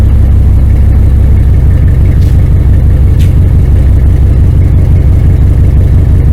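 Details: 1999 Dodge Ram 1500 5.9L gas V8 with headers, after new starter, belt tensioner and idler pulley: steady even idle, smooth low rumble, no knocks, misses or squeals; motor sounds good, normal idle.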